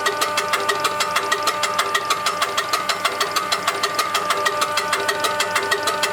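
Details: УТН-4 diesel fuel injection pump tested after repair and adjustment: crisp, even pulses at about 95 a minute with a clear metallic ring and no misses or rough patches; runs normally.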